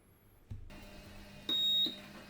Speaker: can now hear that the buzzer is buzzing correctly